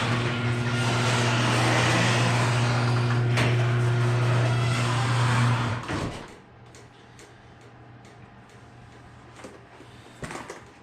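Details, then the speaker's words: Two-stroke dirt bike from Marketplace, reassembled after repair with one broken wire pending: steady, even drone with firm low pitch for about six seconds, then clean shutoff; runs healthy. "but it runs it freaking runs and it sounds healthy"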